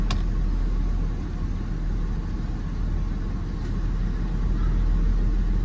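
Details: Jeep WJ 4.0 shaking with dash lights on, AC on, code P0351 (coil primary/secondary failed); a lumpy idle stumbling about four times a second. The cylinder 1 plug is not firing, confirming a coil misfire, fixed by replacing the coil and plugs.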